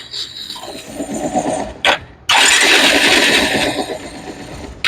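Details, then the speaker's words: Bajaj Pulsar 220F: harsh uneven rattling and clattering knock from the self-starter while cranking; one-way starter clutch suspected, not confirmed. "तो आपने सुनी होगी जो फसर फसर की जो आवाज आ रही है इसमें खट खट खट की आवाज आ रही है।"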